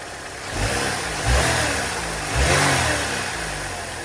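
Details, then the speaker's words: First-gen Ecotec 2.2 (Ecotec), first start after replacing a dry-rotted hose: even idle, then two quick throttle blips rising and falling cleanly with no knock or miss; engine sounds healthy. "First time I've started it since I changed that hose, and it seems to run okay."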